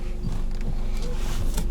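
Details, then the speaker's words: 2011 Nissan X-Trail T31 with engine idling, after spraying WD-40 where the steering shaft passes through: wheel turns with only a low steady rumble, steering column squeak gone. "скрипа нет ничего разбирать не нужно"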